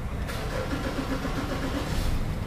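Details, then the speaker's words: Mazda BT50 3.2, warm after being towed in, cranking with no start: starter spins steadily with faint firing attempts that never catch; mechanic suspects a sensor. "Ayun, parang gusto or ayaw na, parang gusto na umi-start. So may suspect lang ako rito mga katropa. Pwedeng sensor lang ang problema nito."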